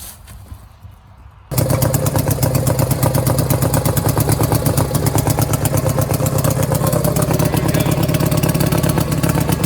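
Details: Power King 2417 lawn tractor: engine catches and settles into a loose, irregular thumping idle near three beats a second; running rich with poor throttle response.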